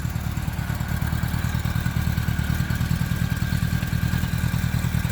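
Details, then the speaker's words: 1977 Honda GL1000 Gold Wing, first generation: a deep, even low thrum at steady idle with regular pulses and no misses, knocks or ticks. Normal healthy idle. "a real nice idle runs down the road real good"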